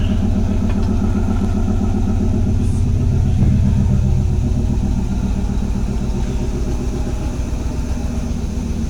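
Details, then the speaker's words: Pontiac 400 V8 with Edelbrock intake and Chinese carburetor, just warmed up after start below 30 degrees without choke, idling around 850 rpm; deep even loping burble with no misses or knocks, healthy idle; owner thinks it runs slightly lean. "So yeah, this Chinese carburetor is doing pretty well. Idling pretty good. I'm not gonna rev it, you know, it's just warmed up."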